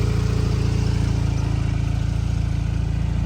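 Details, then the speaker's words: Rotary engine at first start after a new generic intake replaced the old HKS at the MAF housing: steady, rapid, even burble about four beats a second with no stumbles; smooth, healthy idle. "sounds so good oh man so sick so so sick"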